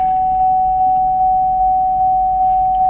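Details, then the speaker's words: Car with ABS, traction and brake warning lights on: warning chime pings steadily, about 2.5 times a second, over a faint hum. It comes from the area near the door. "and there's this binging noise where is it coming from i just found it down by my door"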